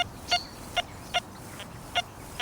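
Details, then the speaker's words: Metal detector running the Forager 2.0 program in a pasture: target reads 71–72 with clear beeps about twice a second, each sometimes followed by a faint low iron grunt, meaning not a clean solid metal; iron grunt following target tone. "It is coming up 71 to 72, but there is one certain little identification that you want to pay note of with this target, and it's that tiny little iron grunt that sometimes follows it up."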